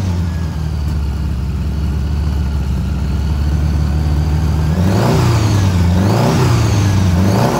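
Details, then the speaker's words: Honda Goldwing GL1000 cafe racer, warm start after a carb rebuild, carbs not yet tuned: settles into an even low idle, then quick throttle blips rise and fall cleanly with no stumble; normal idle and revving. "guys want to hear what it sounds like starting uh here we go uh it's warm it was running so it's not a cold start"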